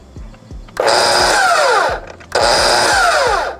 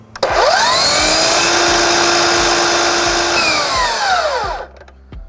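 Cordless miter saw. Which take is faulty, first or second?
first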